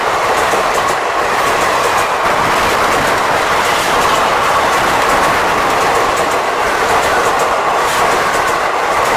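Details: WAP 7 locomotive rolling with a rhythmic wheel clatter and a dry creaking over the running noise; source of the creak unconfirmed.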